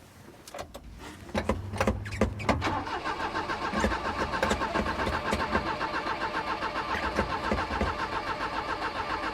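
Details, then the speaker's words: 1988 Daihatsu Hijet mini truck, left sitting for years: the starter churns slowly and unevenly and the engine never catches. The battery seems too weak, so a jump box is hooked up next. "come on all right let's hook up the Go Go Juice Box cuz I don't think the battery's powerful enough right now"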